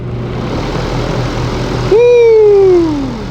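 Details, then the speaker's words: Portacool Jetstream 260 evaporative cooler, 36-inch fan blade, variable speed cranked up from lowest: steady airy rush whose tone rises as speed increases then settles, smooth and responsive; normal high-speed fan running. "Very responsive, very easy to control, and you can feel it immediately. Even without the water, it's pretty good at moving air around"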